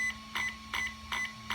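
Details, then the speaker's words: HobbyWing EZRun SC8 RTR 120A ESC in a JLB Cheetah, programmed via onboard button, punch category: a series of short, evenly spaced high beeps over a quiet background confirming punch level nine, maximum. "that's level nine oh yeah maximum power"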